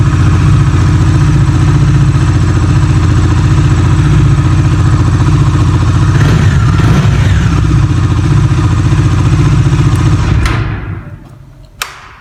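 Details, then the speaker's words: Bajaj Dominar 400 motorcycle started indoors after sitting about 10 days in winter: even, steady single-cylinder thump at idle for ten seconds, then switched off. A healthy idle after sitting. "böyle bu da güzel bir sesi var ve Bu sese sahip olmak istiyorsanız"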